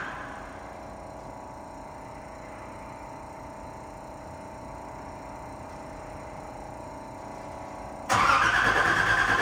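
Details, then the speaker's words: Nissan 300ZX Z31 after fuel tank, fuel pump and new battery, turning the key: starter turns engine over evenly, about three turns a second for eight seconds, never fires; cranks but no start, cause unknown, also an unidentified noise with key in run. "all right see tell it cranked but it did not start we'll have to do some investigating"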